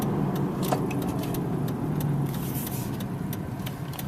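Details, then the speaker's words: Driving with a worn wheel bearing: low road-speed hum and whir that grows with speed and with turns loading the bad side, easing slightly as the car turns left. "the noise will decrease"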